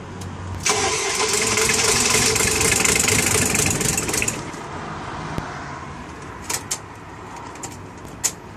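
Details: Diesel with timing set to 0.9, cold start: starter churns evenly about four seconds, never catches, a few clicks after; crank no start, glow plugs suspected.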